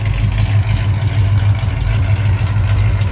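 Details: 1968 Dodge Charger V8 after clamped X-pipe exhaust leaks were welded up and tightened: deep, even rumble with no ticking, puffing or chuffing at joints, quieter in cabin, exhaust exiting tailpipe; sealed and healthy.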